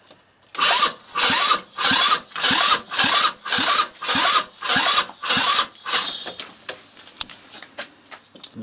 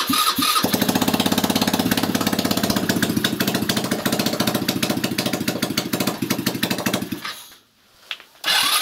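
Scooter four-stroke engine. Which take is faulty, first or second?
first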